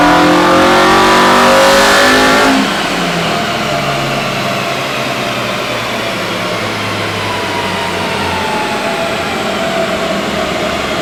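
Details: Honda EM1 all-motor build during tuning, currently stuck at 158 on unknown fuel: hard full-throttle pull with pitch climbing steadily, then a sharp cut and falling revs. Crisp high-rpm howl; normal VTEC engagement.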